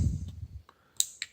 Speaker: you can hear the scylla node clicking showing that it's being activated